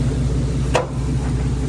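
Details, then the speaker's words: 3rd-gen Ram truck driving after a power steering fix: a steady, low engine hum, no whine or groan from the pump. The steering sounds quiet and healthy. "still making no noise"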